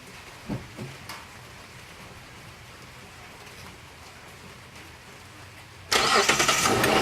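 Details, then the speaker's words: 2003 Kia Sedona LX 3.5 V6 started right after an oil change (filter pre-filled) in heavy rain: rain hiss, then clean firing and even idle with no valve tick or knocking; normal start and idle. "Okay, seems to sound good, running good, no noises, no valve types, no knocking."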